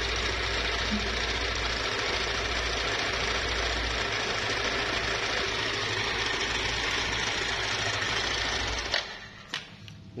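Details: Yamaha NMAX scooter with a rough, noisy rumble traced to the CVT and head: a fast mechanical clatter at about three beats a second, steady at idle. The camshaft bearing is worn, with noticeable play.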